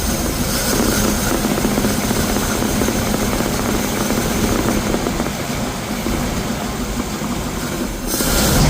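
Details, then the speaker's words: 1951 Ford F1 flathead V8, first start after sitting over 20 years, oil leak present; rough busy rumble with loose uneven beat, no sharp knock; idling steadily enough. "It's actually idling. Nice."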